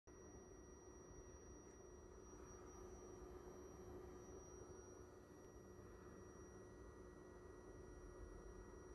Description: there is a high-pitched hissing sound when the projector is turned on, very painful to the ears, which makes the projector unusable.